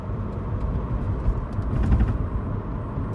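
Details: Driving with steady road rumble: short, loose rattles in clusters from the rear of the car. The owner suspects the boot or sunroof, cause unknown.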